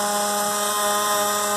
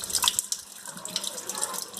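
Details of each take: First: Faucet being closed very slowly after fully opening: loud steady buzzing hum with ringing overtones as the tap trembles, a chatter at low flow; later cured by a small repair. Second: Water tap that used to vibrate and make noise when closed slowly, after repair of a loose rubber washer at the tip: only a soft, even rush of water, no squeal, hum or chatter; tap now quiet.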